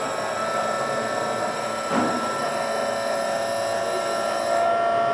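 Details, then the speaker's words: VVVF PWM induction motor drive at high speed with nearly all pulses dropped: steady high electrical tones over a smooth, even hum, quiet as the motor reaches a better speed and loses resonances; normal quiet running. "Okay, there we go. It's gone nice and quiet now as the motor reaches a better speed and loses some resonances."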